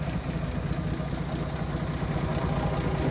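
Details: 1937 Plymouth Coupe, original six-cylinder with oil-bath air cleaner, idling with the hood open; carburetor rebuilt, with new hoses, spark plugs, wires and coil. Smooth, low, even idle with a soft steady pulse and no knocks or misses; normal idle.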